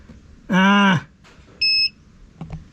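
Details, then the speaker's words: FCHAO 'Peter' 12V inverter on a fully charged 12V sodium battery (about 15.4–15.7V): a harsh half-second buzz, then a short high beep as the load switches on, the inverter's overvoltage protection tripping. "turn on our load oh no no no we have an over voltage protection again"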